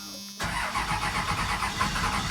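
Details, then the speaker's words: 1996 Dodge Ram 3500 12-valve Cummins diesel, first start after repair work with new grid heater relay and low batteries: brief hum then steady rhythmic cranking chug, not firing; owner suspects lost fuel prime. "i'm expecting this first start to be a difficult one um because most likely the uh fuel pressure or the prime has gone out of the fuel system"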